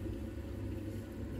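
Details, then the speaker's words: Central heating pump, system at about 1 bar pressure: soft, steady low hum with even tone and no rattle or grinding; pump spinning smoothly. "pop the central heating on you can hear the pump spinning"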